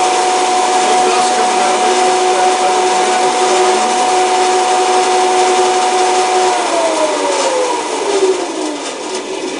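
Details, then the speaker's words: Wallace 16-inch band saw, about 1929, with a single-phase 110V GE motor, probably half-horse and repulsion-induction, on a direct gear drive: a loud rushing noise over the motor tone, which sinks during coast-down. It is much quieter with the blade off, so the guides are suspected. "if we take the blade off this is much quieter so I'm thinking that most of the noise is coming from the guides"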